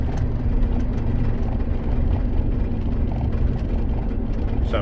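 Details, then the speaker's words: Ford F-150 with almost 400,000 miles, driving: heavy low rumble with fast vibration rattling the dash and steering wheel; suspected driveshaft, U-joint or pinion, not confirmed. "Comes on right there and it's like that's an audio demonstration of the vibration. There, you can hear it. It's rattling the"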